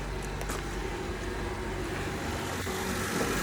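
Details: 2008 Honda CR-V just started after replacing the alternator, belt and PCV valve; smooth, even idle with no belt squeal, chirp or flutter, no battery light so it is charging properly; normal idle.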